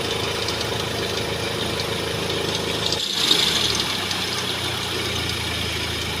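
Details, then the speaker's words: Mahindra XUV500 diesel at idle: fast, uneven chirping rattle high over the clatter from the fan belt and tensioner/adjuster. "इसकी जो fan belt और adjuster है वो आवाज कर रहा है"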